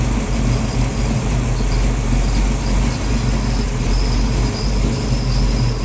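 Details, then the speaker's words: 1966 Ford Mustang with rebuilt 289-based 331 stroker V8, idle set about 750 rpm after first startup: steady low idle with faint irregular light rattle and squeak up front; source not yet found, cause unconfirmed. "i don't think you hear that rattling noise that squeak yeah so when it's idling this thing is making a noise you probably hear it in the video"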